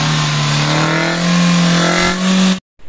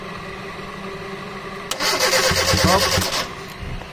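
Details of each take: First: 2010 Kia Rio manual, not started in over two months, now running after troubleshooting: the engine tone climbs smoothly through two clean blips and cuts off sharply, with no misfire or rattle, so it runs and revs healthily. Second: 2010 Kia Rio manual that sat for over two months unused, cranking: about 1.5 seconds of brisk cranking that never catches, then quiet with clicks. No fuel is being delivered; the fuel pump or regulator is suspected. Crank no start.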